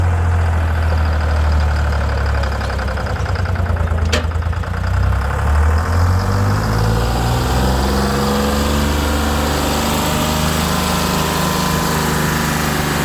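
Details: Detroit 6V71 two-stroke diesel in a 65-year-old Allis Chalmers HD14 crawler, first cold start after 24 years idle (it once ran away; governor thought stuck at full fuel): loud throbbing clatter that settles, then pitch climbs smoothly as it revs; normal running.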